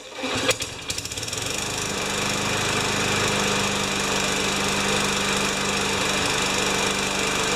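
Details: 5HP Tecumseh lawnmower engine after reaming the carb's second hole and fitting a new primer bulb: a couple of pull-cord clatters, then catches and holds a steady, even buzz without surging; running normally.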